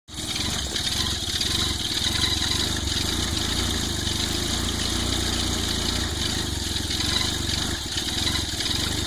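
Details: Volvo 940 turbo idling while warming up on a cold start, with an uneven, slightly lumpy beat and a lot of hiss on top; rough cold idle, cause not clear.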